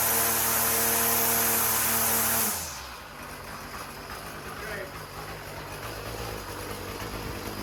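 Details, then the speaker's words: Small two-stroke weed whacker after replacing the carburetor and fuel lines; air in the fuel system was the fault. It runs loud and fairly steady, then drops off uneven, idling rough because it was flooded. "That was the issue. I mean, it's idling a little rough, but I flooded it up."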